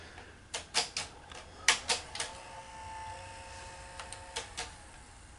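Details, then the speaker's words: Sony SL-HF900 Betamax VCR that sat unused for years, playing a test tape: irregular clusters of sharp clacks about once a second over a faint, weak motor whir. Solenoids are stuck and not engaging; the idler motor board had four bad capacitors. "we've got solenoids that are stuck um yeah so we've got solenoids that are sticking and the motor is not working very good"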